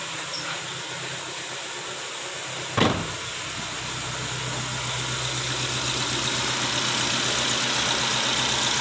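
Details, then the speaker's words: 2010 Nissan Latio on premium fuel, rough idle: uneven, stumbling beat with vibration and pinging; misfire suspected from coil or spark plug, coil 4 checked. "untuk sentakan awal temen-temen ini terasa terasa bergetar ya untuk bagian mesinnya yah kemudian ditambah dengan suara ngelitik ini tadi"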